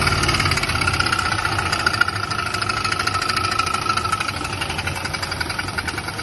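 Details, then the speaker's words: Turbo LS-swapped Volvo sleeper, days after a drag strip run: heavy steady knock about three per second at a rough idle. It began suddenly while driving; suspected rod knock, unconfirmed. "today i went to home depot to go get some wood to build an archery target and it started knocking real bad"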